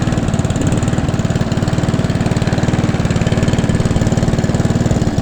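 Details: Hand-push petrol mower converted to self-propelled with another mower's gearbox and drive, freshly serviced: steady, even single-cylinder putter around three firings a second, no misses, knocks or surging; normal running.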